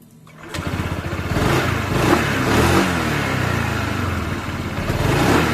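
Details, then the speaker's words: Honda PCX 160 scooter CVT after fitting Yamaha NMAX clutch shoes, lightened, checked after 2000 km: fires up and revs smoothly with no marble-like rattle from the drive side as before. Normal CVT revving. "nah suara P saya halus tem- suara kelereng Enggak seperti sebelumnya"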